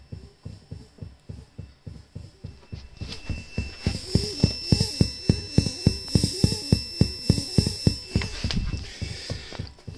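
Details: Behringer Murf effects pedal, volume maxed, guitar plugged in, two power supplies tried: steady thumps about 105 per minute in time with the pattern, faint high whine, bleeding into output; owner suspects noisy internal clock or faulty unit.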